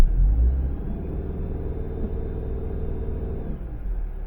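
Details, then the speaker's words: 2012 Subaru Outback torque converter stall test: in Drive, parking brake and foot brake on, wide-open throttle. Deep engine drone holds steady at 2200 rpm without flaring or dropping. Done while fixing stalling at stops after a battery replacement. Normal stall speed. "okay 2200 RPM I am happy with that I am happy with that"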